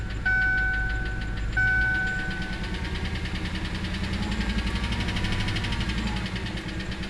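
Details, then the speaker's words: GM V8 with Displacement on Demand (2007+ Tahoe/Silverado type) idling: fast light ticking from top end, a stuck or collapsed DoD lifter, linked to low oil pressure issues. "Now, can you hear that ticking? Because that's another"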